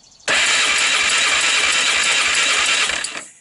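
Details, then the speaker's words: 1998 Honda TRX300EX ATV, abandoned a year, hot-wired starter with portable 12V CDI box, cold start attempt: fast, uneven clicking about three per second over a raspy cranking whir; no compression release exists, so not the cause; source unknown. "is another one with that click click stop for going on now I looked for a compression release and see right there that's a blank hole"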